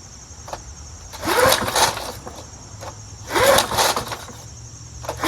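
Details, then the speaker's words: Curbside-found Snapper Hi-Vac push mower, pull-started. Three short firing bursts about two seconds apart, each dying quickly. It has spark and fires briefly. "Son of a gun. It has spark and it turns on. Amazing."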